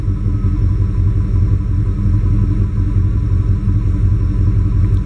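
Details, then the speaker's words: GM TBI truck (1987-95), warm with coolant at 194°F, throwing OBD1 code 45 for running rich; the O2 reading sticks rich. The loud idle smooths, then goes rough again. The owner suspects the O2 sensor. "CU it Smooths out then it gets shitty again Smooths out cuz the O2 it's not going to trigger the light until it stays Rich for like a certain amount of time or lean"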